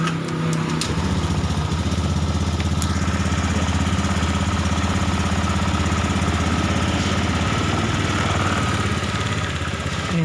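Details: Honda Beat Eco fuel-injected scooter during fuel system servicing, fuel pump pressure found normal. Small single settles into a steady, even idle with a low constant throb and no misfire. Normal idle.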